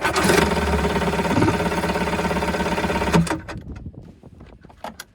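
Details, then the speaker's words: 1984 JS550 jet ski, starter solenoid bypassed with jump starter: engine churns about three turns a second for three seconds with no firing stroke, then stops; cranks but no spark, owner suspects corrosion in start button. "So now we saw that by bypassing the starter solenoid, which sits inside the electrical box, we managed to turn it over. So that means the battery's not dead. However, she doesn't spark."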